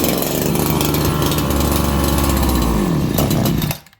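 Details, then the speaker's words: Farmertec 288XP kit chainsaw after an ignition repair, carb being tuned at about 5°C: rough buzzing run with speed sagging and surging, pitch dropping before it cuts out; the saw is flooded. "But also, friends, I flooded this saw, and I flooded it so it doesn't want to run pr"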